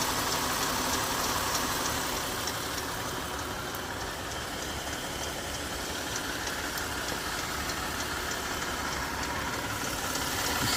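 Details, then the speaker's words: 2018 Jeep Grand Cherokee Summit 3.6 L V6 idling with a faint, quick, regular ticking over the hum, seeming to come from the passenger side; owner suspects rocker arms or lifters, unconfirmed. "I'm not sure if this is my rocker arms or lifters. There's a little tick."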